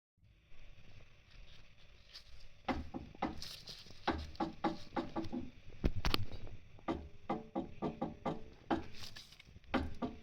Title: Spl end links clunking and creaking noises